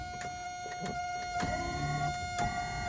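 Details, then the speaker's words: 1982 Mercedes 300SD W126 power seat during inspection, moved back, forward, up, down: short whirring motor bursts with clicks at direction changes; seat works correctly. "Okay, good. This seat is working correctly."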